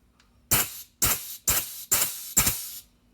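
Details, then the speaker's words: Craftsman pneumatic air grease gun, about 15 years old, after priming: five crisp air hisses about every half second, each a full pump stroke. Single-shot mode delivers grease properly; continuous mode does not work. "continuous mode does not work I'm holding the trigger down the single shot as opposed to automatic that's working"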